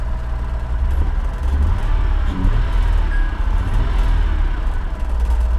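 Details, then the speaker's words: Vehicle at salvage auction: deep, loud rumble with uneven, lumpy beat and occasional stumbles at idle, also running when put in gear; intermittent misfire suspected, odd noise possibly not from the engine, cause unconfirmed. "something's not right here dead misfire I don't know what that sound is I'm not sure I've never heard anything quite like it"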